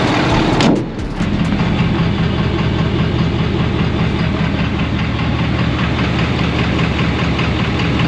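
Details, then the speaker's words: Truck towing an Airstream, hood open at idle after a shop visit; steady diesel idle with a faint uneven tick about two to three a second, no louder than at the shop; engine knock at idle, cause not confirmed. "Well, I can definitely still [music] hear it. Doesn't sound any louder than when we were [singing] at the shop."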